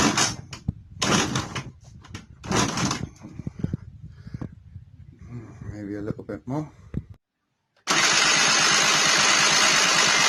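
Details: 1999 SYM Jet 50cc two-stroke scooter, previously non-running (no spark), after exhaust refitted, kick-started: fires and holds a steady buzzy idle with no misses; runs fine.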